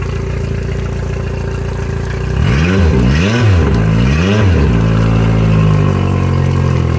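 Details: 2021 Yamaha F70 four-stroke tiller outboard, about 129 hours, bench test after new ECM, harness, starter, PTT relay, oil, filters and plugs: catches fast, revs rise and fall three times, then settles into a clean, steady idle with no knocks or rattles; healthy.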